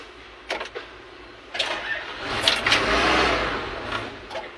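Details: Backhoe that won't keep running: short cranking bursts, then the engine swells briefly and dies instead of holding idle. The faulty ignition switch was found and replaced.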